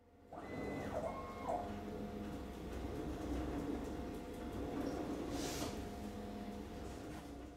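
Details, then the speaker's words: CNC gantry with aluminum frame, run over a year about 8 hours a day, moving without spindle: rough, gritty grinding and steady motor whine from straight-tooth racks; fixed by swapping to helical racks in about 20 minutes. "the second is that this machine has straight teeth on the racks if I start the machine without the spindle you can hear a grinding noise from the"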